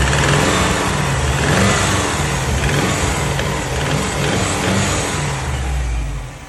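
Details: Subaru WRX JDM EJ205 at rough idle with a couple of throttle blips: quick, uneven knock from inside the engine; rod knock, piston slap or timing belt tensioner suspected, source unclear.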